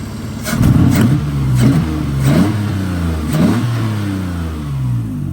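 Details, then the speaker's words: Mitsubishi with MIVEC and a distributor, six-speed manual, with an extremely loud exhaust: three sharp throttle blips, each a raspy bark falling back to a deep rumbling idle. Sounds like a loud, unmuffled straight-pipe exhaust. "We'll give it a couple revs, but it's extremely loud, so yeah, we'll let her ring out a little bit while we're here."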